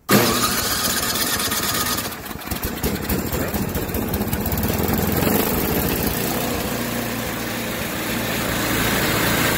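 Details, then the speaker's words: Tecumseh 8 hp Yard Machines by MTD 26-inch snowblower after fix for idle surging: carburetor screw removed, soaked in carb cleaner and wire-brushed; engine now settles into a steady, even idle with no hunting, a huge difference from before. "there you have it she uh that's a huge difference uh in how it was running before"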